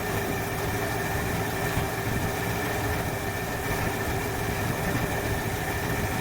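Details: 1968 Ford Fairlane with a flooding carburettor, started during the fix: steady, even low idle with a faint hiss and no misses; it runs, though the mixture still seems on the rich side.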